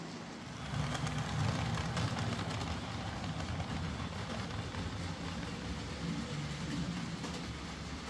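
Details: Hornby J15 model loco, bought new about two years ago, ran slow and noisy since new; after motor swap, worm gear refitted and greased, low, soft, even rumble with faint quick clatter, no harsh buzz: much quieter and smoother, normal running.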